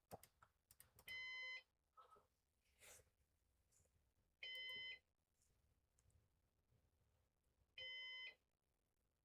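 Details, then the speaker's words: Used Synology DS418 NAS during setup: three identical high beeps about three seconds apart over quiet clicks and room noise; system reports disk station fan failed, though both rear fans are running. "Uh, the fan of your disc station has failed. Yeah. So, I'll have to figure out what's going on there."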